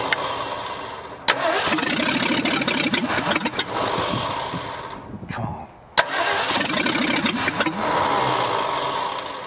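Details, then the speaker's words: 1965 Ford F100 buried for over 50 years, first start attempts: cranking churns, catches briefly with ragged firing, then dies, needing heavy pumping; owner suspects not enough fuel or too much air; hard starting. "it's uh it's still not getting enough gas down in there for some reason or we're getting too much air i guess is what it would be yeah because i'm having to really pump on it"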